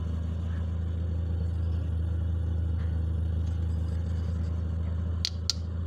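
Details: Car with a Wingas regulator, after drilling a side hole at the regulator: steady, even low idle hum with no hunting or surging; smooth, settled idle.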